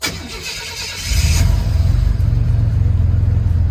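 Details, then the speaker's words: 1984-87 Buick turbo engine starting after a TPS and IAC reset: brief crank, then it catches cleanly and settles into a steady, even low idle; normal startup. "All right, so after resetting the TPS and the IAC, here's what startup looks like."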